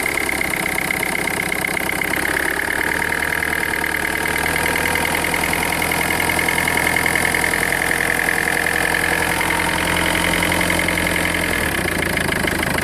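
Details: 2004 Peugeot 1.4 HDi diesel at idle and when revved: diesel clatter with a thin high whistle riding over it; strange engine noise, cause unclear.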